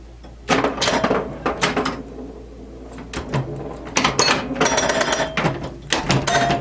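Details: 1977 Williams pinball, the first solid-state machine Williams released and originally designed as electromechanical, playing after an electrical restoration with a repaired CPU board: irregular clusters of sharp solenoid clacks and ringing chimes, no stalls or dropouts. Normal operation.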